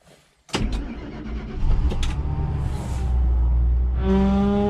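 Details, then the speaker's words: 2003 Ford F150 5.4L, nearly 250,000 km, after replacing battery cables and starter (previously only a single click in extreme cold): cold start at minus 32 to 38 °C, sharp burst, rough catching, then steady low idle; starts fine. "Sounds bad, but it started. That's pretty crazy. Minus 32 Celsius outside."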